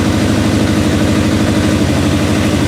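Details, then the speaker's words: Suzuki GSXR parked about 10 years, first start using easy-start, choke on and throttle slightly open: a steady, throbbing four-cylinder run with even pulses and no knocks. "so I've just got the throttle slightly on um I'm just letting it all cycle around a bit"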